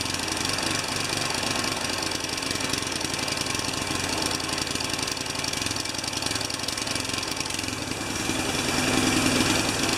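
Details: Tecumseh 3.5 HP mower engine, reassembled test run: uneven, stumbling beat that never settles into a clean idle; ran better with intake restricted, owner suspects a missing tiny gasket, cause unconfirmed.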